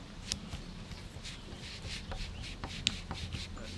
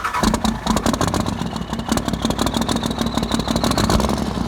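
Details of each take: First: Damaged rocker arm from a non-53-block 24-valve Cummins, held in a vise and forced down by hand: dry scraping, gritty grinding with sharp clicks as it moves up and down on its pivot. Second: Non-53-block 24-valve Cummins diesel after a faulty rocker arm was found and bigger injectors fitted, with lines 1, 3 and 4 bled. It cranks and fires, then settles to an even, steady idle clatter with no miss or knock; a normal startup.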